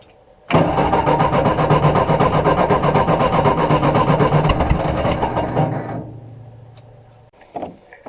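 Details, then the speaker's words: Ford NAA Golden Jubilee tractor (1953 or 1954) parked unused over 20 years: even starter chug about four per second for five seconds, never catching, then winding down; no start because the fuel line was clogged and passing no fuel. "Okay, so we now have an unclogged fuel line. Nothing was coming through that at all."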